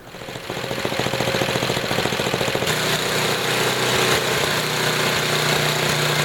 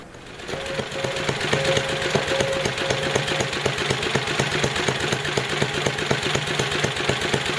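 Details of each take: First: Small engine with Tecumseh carburetor after high-speed mixture adjustment, returned to idle and turned up slightly: low steady putter about 3.5 beats a second, even and smooth; normal idle. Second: Tecumseh HM80 8 hp single-cylinder engine after carburetor tuning, idle set as low as it will run as an experiment. Too low to build oil pressure. Slow, uneven chugging, barely running: excessively low idle speed.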